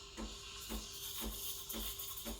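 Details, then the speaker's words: Breville Barista Express BES870 steam wand, tip near milk surface with jug angled, held about 20 seconds: steady paper-tearing hiss with soft regular pulses, no screech; normal milk aeration. "you want to hear that hissing sort of paper tearing sound like tearing a piece of paper"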